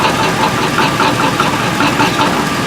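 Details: 2003 Chevy Tahoe: a steady, light, even knock about five times a second over a rough idle. An exhaust leak is present and broken manifold bolts are suspected, but the mechanic thinks it sounds like a broken flexplate. Not yet confirmed.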